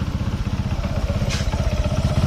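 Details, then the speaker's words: Honda Supra X 125 single-cylinder idling with slightly uneven laboured beat and faint clatter; bike creeps forward in gear without throttle, centrifugal clutch dragging, low power and clutch noise; idle to be lowered. "Di suara mesin di sini ya, sedikit ada suara berlok. Jadi intonasi suara bulat tapi ketinggal. Yang lebih parahnya lagi nih, yang lebih parahnya lagi saat masuk gigi belum digas juga udah jalan sendiri nih."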